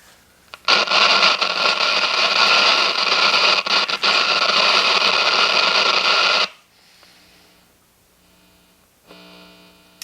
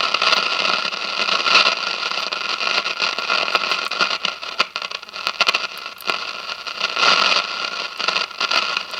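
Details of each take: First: 1957 General Electric model 875 tube radio after filter capacitor replacement, drawing about 23 watts. Playing with hiss, a faint low steady hum shows in the quiet gaps. Residual mains hum. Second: 1957 General Electric model 875 All-American Five tube radio after replacing the dual filter capacitor, drawing 23 watts; only hiss and light crackle from the speaker, no drone underneath; hum-free output.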